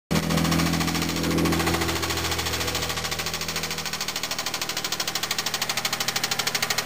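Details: Mitsubishi VR4 with a replacement engine from JDM Planet, under 5000 miles in 11 months, 3–4 oil changes: settles from a rev into a hard regular knock about three per second, sharper as it slows; possible rod knock.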